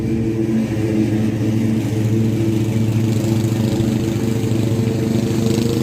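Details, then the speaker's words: Restored Craftsman T100 riding mower after belt replacement: even engine drone with smooth deck hum, none of the earlier marbles-in-a-steel-drum rattling; normal mower deck running. "not exactly sure what it happened but the deck actually sounds like it's supposed to Mary's going to be happy the whole neighborhood is going to be happy because it's not going to sound like a bunch of big ass marbles running around in the steel drum"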